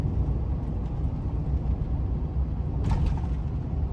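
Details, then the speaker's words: 2005 Chevy Silverado 1500 V8 misfiring, idle dropping to about 400–500 rpm at stops with a lumpy uneven rumble; oil pressure good, not running hot, feels underpowered; past dirt in fuel system, Seafoam added. "idle's dropping to about four or five hundred when i stopped not running hot oil pressure is good definitely feels a little underpowered"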